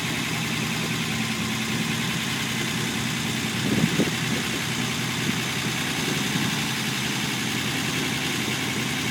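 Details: Unimog 404 first start-up after rebuild with new fuse boards and a rewire: steady, even idle with no knocks or misfires, just a faint brief clatter midway; normal idle.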